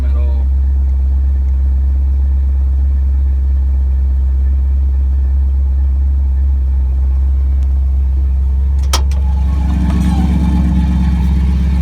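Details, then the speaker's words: Ford 460 V8 newly converted to FiTech fuel injection, about 30 miles on the system, started cold after inline pump primes: deep, even low rumble holding steady with no misses or knocks; idles cleanly. "and now I'll start it you can say it's not very warm"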